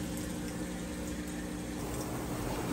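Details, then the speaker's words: Whirlpool top-load washer (deep water wash, agitation-plate fins) draining wash water before spin; lid lock bypassed. Steady low pump hum under rushing water, even with no rattle or grind; drain pump working normally, nice and fast. "All right, it's draining that wash water out. And I wanted you to hear the drain, that the drain's working nice and fast."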